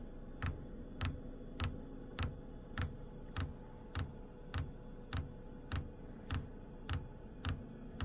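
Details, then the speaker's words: Wippro diesel heater with E8/E10 codes, failed fuel pump replaced with one from a second unit, first fitted backwards then corrected: crisp even ticks about every 0.6 s as the dosing pump primes the line, air bubbles visible; normal. "yeah yeah now it's stting it's starting to work it's going to take a second to Prime itself"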